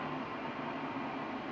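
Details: IQair Compact air purifier whose seized motor was replaced with a different inline centrifugal fan, running at full power; smooth, even airy whoosh with no ticking, rattling or pitch wobble, quieter than the original, normal fan running.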